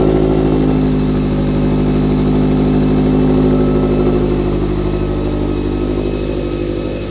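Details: Toyota 86/Subaru BRZ/FR-S with newly installed Kraftwerks supercharger and header, first start after priming blower oiling system; smooth, even fast idle gently easing down, no rattles or misfires: normal supercharged idle.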